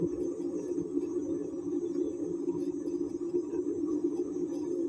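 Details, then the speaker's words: Perodua Kancil/Kelisa/Kenari/Viva (non-ABS) jacked up, handbrake released, right rear wheel turned by hand; steady mid-pitched drone, also heard driving at 60–80; likely faulty or dry-greased rear wheel bearing. "bunyi berdengung nih boleh jadi datang daripada masalah bearing lah."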